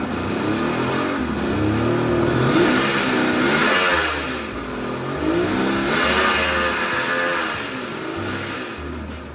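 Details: 1976 Suzuki GT380, three-cylinder two-stroke with engine and carbs previously rebuilt: lumpy, uneven note rising and falling with the throttle, never running clean; number 2 cylinder not firing, stone cold while 1 and 3 are warm.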